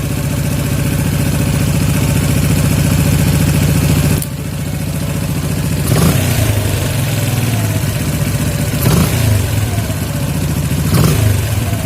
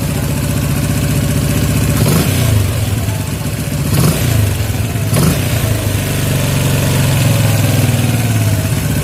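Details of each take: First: Yamaha Jupiter MX 135 (old) carburettor after air-screw adjustment (about one and a quarter turns out) for highest idle: steady low idle, three quick throttle blips with revs falling straight back without hanging; idle mixture set correctly. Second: Yamaha Jupiter MX 135 carburetor setting: single-cylinder engine blipped three times, revs falling slowly and hanging before idle; air screw adjusted further.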